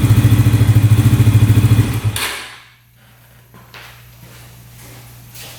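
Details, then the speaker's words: 2011 Yamaha Raptor 125 quad after fuel tank unclogged: lumpy single-cylinder idle, then stumbles and dies when throttle is asked; revs out on choke, stalls with choke off; running poorly, cause unclear. "Well, it's doing the same exact thing that the seller was saying. So, it's revving out with the choke on. Um, you start it up with the choke on. It runs pretty decent, actually. you turn the choke off, it stalls out and doesn't want to rev out."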